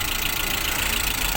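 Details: 2009 petrol engine idling before a Liqui Moly additive test: fast, even, light tapping over the running sound; hydraulic lifter tapping.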